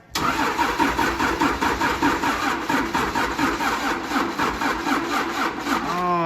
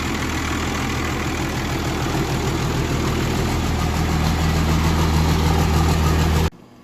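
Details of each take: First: 1953 Mack A40 with swapped-in 24-valve 5.9 Cummins diesel, old antique battery: starter turns the diesel over in slow, laboured pulses about two compressions a second, never catching; probably a weak battery that can't supply cranking power. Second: 1953 Mack A40 with a swapped 24-valve 5.9 Cummins diesel (ex-school bus) idles steadily on restart with a deep, even rumble and no knocks or misses. Normal idle; air pressure quickly builds to 60 psi, but oil pressure is unknown.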